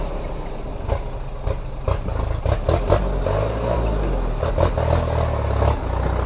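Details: Kubota M7040 diesel tractor fitted with a heavy-duty turbo set up to run quiet without the howl, idling steadily with a faint high turbo whistle easing up and down and no harsh noises. The turbo sounds healthy.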